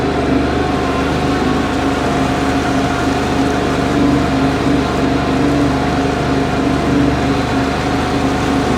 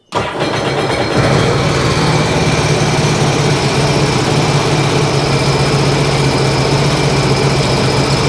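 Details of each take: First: 2009 Sea-Doo Wake 215, supercharged 4-TEC, running on the lake during overheating diagnosis: smooth, steady drone with an even exhaust note and no misses or knocks; overheat not reproduced, and weeds possibly sucked up earlier. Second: 2009 Sea-Doo Wake 215, supercharged 4-TEC: starts and settles into an uneven, lumpy idle; disabling cylinder 1 changes nothing, pointing to that cylinder not firing; coil, spark plug and compression still to be checked.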